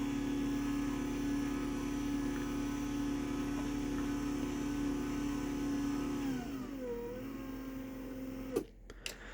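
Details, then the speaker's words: 20-year-old, heavily used garage door opener: smooth, quiet steady motor hum with no knocks or grinding, easing off and stopping with a soft clunk; quieter than a brand-new DC belt-drive opener. "So you can hear that 20-year-old opener, even though it's been used a lot, is quieter than this brand new opener."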